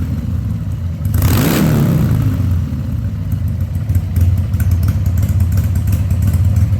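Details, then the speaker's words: 2000 Harley-Davidson 1200 Sportster V-twin after a carb rebuild and leak fixes, restarted with the air cleaner refitted: a quick throttle blip, then a steady, even, lumpy idle without hesitation, running much better than it did without the air cleaner. "Yeah, it liked that a whole lot better, didn't it? That's because it's designed to have an air cleaner on it."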